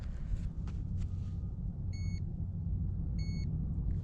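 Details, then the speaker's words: KTM Freeride E-XC electric dirt bike during a battery range test on muddy trail: two clear high-pitched beeps about a second apart over low outdoor rumble, code 11 low-battery warning. "it beeps like that to let you know that the battery's dead"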